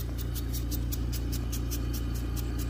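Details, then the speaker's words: Invacare Perfecto 5-liter oxygen concentrator running with flow adjustable up to 5 liters: low steady motor hum with quick, regular puffs of hiss about five a second, air flowing out; cycling and delivering air normally. "you hear that kind of hear the air just flowing out of there"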